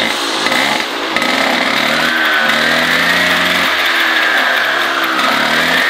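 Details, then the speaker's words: MBK 51 Hard Rock two-stroke moped's first run after reassembly, with the exhaust fitted, revving up and down with even firing. The light rattle is a vibrating toolbox; the engine itself sounds healthy. "Alors, on entend le bruit, en fait, le bruit, c'est la boîte à outils, là, qui vibre. Dans l'ancien, il n'y a pas de bruit."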